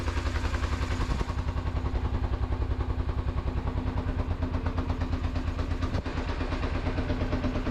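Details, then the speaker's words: 2007 Kawasaki Ninja EX250 started after sitting unrun since 2018, warming up: even low pulsing about two beats a second with steady burble, no misses or rattles; idles normally. "But it's running. It's sitting here just idling away. Man, this thing has not ran since 2018, 5 years."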